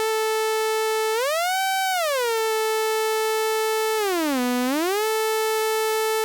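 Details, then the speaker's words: 1973 Minimoog, restored, with the oscillator board modified for the pitch wheel dead zone: a steady synth tone holds pitch in the wheel's center detent, then bends up and back and down and back. Normal dead zone, no detuning at center. "You don't hear any detuning until I get outside that, that actual detent of this wheel. As you can hear. So once I get outside that detent, it'll affect tuning, but when you're in that center position, it's not going to have any kind of sharps or flats when you return this wheel to 0."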